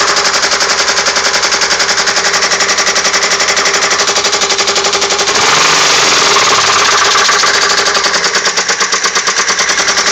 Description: The engine knock noise on my 02 Grand Am. Lifters and rods have been replaced. Narrowed it down to cylinder 4 by disconnecting plugs. What do you think it is?